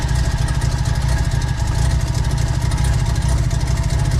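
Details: Big-turbo semi-peripheral-port Mazda FD RX-7 rotary on first proper start: loud, choppy, steady rapid brapping at a raised idle estimated around 1600 rpm; typical healthy ported rotary.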